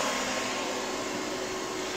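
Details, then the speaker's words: APC XS 1300 UPS after rebuilding its 24 V battery pack from good cells, running on battery: steady fan whoosh with a constant inverter hum, no cutting out; output read about 101 V, somewhat low, but unit works normally. "on battery power 101 is a bit low for votes and I don't know if you can hear this fan over the other one but it's like we're outputting honor to four volts and it sounds like this thing's firing"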